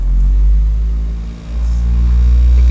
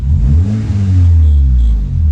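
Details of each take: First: 2012 or 2013 Honda Civic after replacing all the engine mounts: fine at idle, but a deep rumble and droning cabin boom swell as the revs climb. The mechanic suspects one of the new engine mounts is causing the vibration. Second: 2012 Honda Civic after replacing wrong engine mount with correct hydraulic mount, muffler broken: loud deep exhaust rising and falling smoothly through revs, no rattle, vibration or shudder inside the cabin; engine runs clean.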